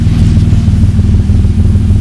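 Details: Mk1 VW Caddy with V6 4motion conversion, first start, 3.5-inch straight pipe with silencer, no coolant yet: deep smooth low rumble swells on a quick throttle blip and settles cleanly, muffled and civil, no rattles or misses; healthy rev blip.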